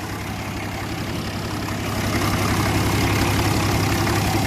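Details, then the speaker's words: 1961 Case 930 diesel tractor, 6.6L six-cylinder: deep, even chug at steady low idle, evenly spaced firing with no knocks or misses; injection pump working well, slight blow-by, healthy idle. "seems like the injection pump sounds good working well it doesn't get hot has good fuel pressure"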